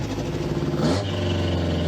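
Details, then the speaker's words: Rebuilt 350 V8 after turning in the rear carb screws: steady, even idle with a smooth low rumble and a brief blip, the earlier exhaust popping gone. "The back ones, if you screw them in, the engine slows down. But the popping went away."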